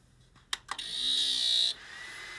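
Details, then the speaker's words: AMD FirePro workstation 3D graphics card from an untested job lot, card works: a couple of clicks, then loud high-pitched fan whine about a second before cutting off; very noisy fan, owner thinks it needs replacing. "the fan is so so noisy i think we're gonna need a new fan there if you can hear it actually as i'm moving it um but yeah it worked fine the fan made a horrible noise"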